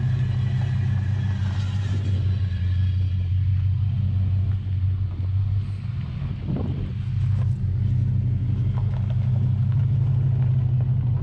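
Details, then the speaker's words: Rare Dodge truck with a 440 V8 after a Demon carburetor swap and new welded mufflers, over 60 psi oil pressure: smooth low rumble with nothing knocking or ticking; a healthy engine with a deep exhaust note. "We got the carburetor changed out, put on some thrush welded mufflers, which are some of our favorites. Give it that nice deep rumble."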